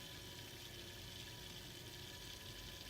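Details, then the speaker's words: Freshly refilled PC watercooling loop with new coolant, pump speed rising with CPU temperature at boot: steady hiss and watery gurgle over low pump hum; lots of air still trapped in the loop making noise. "a lot of air in the system so that makes a noise"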